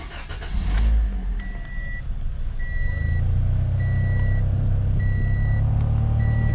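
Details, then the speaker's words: 2017 Toyota Corolla 1.8 L automatic idling with warning chime; deep steady droning hum and dash vibration from the AC blower motor, judged worn out and needing replacement with an OEM Toyota unit. "hear that sound that vibrating sound and your dash is vibrating that means your AC blow motor is worn out so it needs to be replaced"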